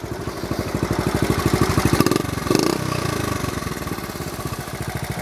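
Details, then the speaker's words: 1970 Honda CT70 Trail 70 being ridden after years stored, fuel lines and clamps replaced; steady putter about two and a half beats a second, brief dip during a gear change then even running, normal running. "I put new clamps on it now she runs like a top just like she she did when I put her away"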